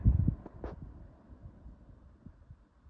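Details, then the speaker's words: 1970s Super 12-inch box fan before restoration, not yet oiled, missing washer suspected: after switch-off a few thumps, then motor hum fades smoothly as fan coasts down freely without scraping; normal spin-down. "down if I recall correctly this F's got a pretty good spin now time despite me not oiling it not yet of course"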